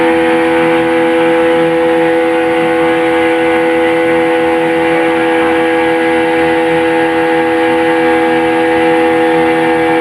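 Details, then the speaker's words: Yamaha 15 hp outboard test run at full power after repair. It had been hard to start with no power, caused by a weakened ignition coil (270 ohm) and a flooded carburetor. Now a loud, steady, high-revving drone holds a constant pitch with no misses or surging. "itu tadi selesai Sudah pekerjaan kita ini hari yang menyebabkan mesin ini sampai susai hidup adalah bagian 10 pengapian yang sudah melemah tegangan tinggal 270 Ohm kemudian bagian karburator yang banjir menyebabkan mesin ini tidak bertenaga"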